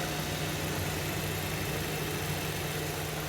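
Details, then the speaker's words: 2019 Suzuki Ertiga GL manual, 1500 cc four-cylinder, 63,000 km, engine sound at idle: a steady, very smooth low hum with no knocks, ticks or misses. Normal, healthy engine. "Dan sekarang kita cek suara mesin di mobil R3 GL tahun 2019 ini. Untuk suara mesin di R3 GL 2019 ini sangat halus teman-teman."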